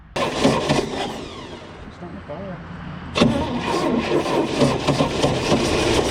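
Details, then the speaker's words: 1979 Scout II cranking after sitting 20+ years: it catches briefly and sputters unevenly for a few seconds without settling. It fires but won't keep running; spark was later lost. "i actually got it to to fire a little bit i'll insert that footage here"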